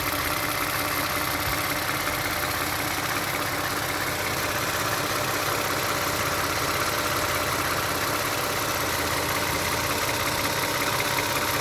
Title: Clicking sound of engine, this sound just started June 13th. Prior engine tight and silent.